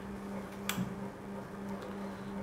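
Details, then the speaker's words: Daikin inverter AC PCB after replacing a water-shorted IPM, no output yet, switched on by remote: single sharp click over faint steady hum as relay pulls in normally on power-up. "यहाँ आप सुन सकते हैं कि यहाँ relay on होने की आवाज़ आई है।"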